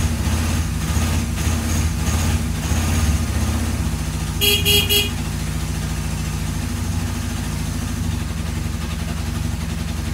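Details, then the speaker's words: Free, rusty Kawasaki KZ750 revived after sitting: steady, low, even four-cylinder idle with a brief horn toot midway, holding a smooth, regular beat; it doesn't sound bad. "holy crap this rust bucket this rust bucket POS yes started up actually doesn't sound terrible you know"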